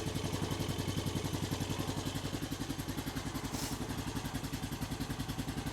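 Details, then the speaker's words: 2000 Honda Foreman 450 ES single-cylinder ATV, engine reinstalled, jumped start, choke just taken off: even, steady thumping about three and a half beats a second, no knocks or rattles; normal idle, though it still will not shift. "Take that choke off. Fired right up. From what I can tell, the engine sounds pretty decent."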